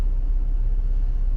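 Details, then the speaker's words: Lada Largus/Logan heater blower after removal, cleaning and reassembly of the fan motor (previously squeaking, whistling, barely turning on second speed): smooth steady hum with no squeak or rubbing on first and second speed; repaired, running normally. "проверяем печка работает 1 скорости нужно получше без скрипов и все вторая скорость"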